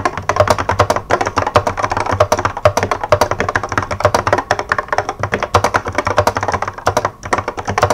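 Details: 1986 Apple M0110A keyboard with Alps SKCC tall cream switches, typing demonstration; fast steady typing, each clack followed by a bright metallic ring; heavy, smooth switches that ping like crazy; keyboard switch spring ping.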